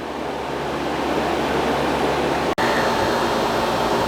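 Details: Fridgemaster 12300 BTU portable air conditioner with a conventional compressor on its single fan speed: loud steady hum, rushing air and low drone, about 63 dB at eight to ten feet, cycling off briefly, then running again.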